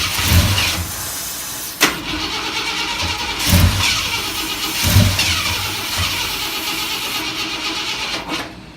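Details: 1973 Ford 390 V8 that sat about 10 years, run with the carburetor fuel line fed from a gas can and propane added, while checking for exhaust leaks: the engine catches and surges in uneven bursts, stumbling and nearly dying; running rough, cause unconfirmed.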